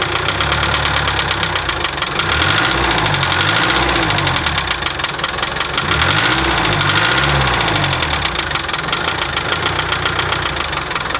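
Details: 1987 Land Rover One Ten with 300Tdi diesel, head skimmed beyond spec after overheating, thickest head gasket fitted, idling with a sharp tick-knock three or four a second; source not pinned down.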